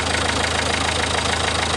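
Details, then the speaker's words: Renault 1.5 dCi diesel idling just after start, refreshed injector (new Delphi valve and nozzle; 3 and 4 had excessive leak-off), not yet warmed up: steady, even clatter with no misses, knocks or ticking; no leaks, sounds normal. "I don't hear any noises. Now we need to let it run a bit. We need to warm it up,"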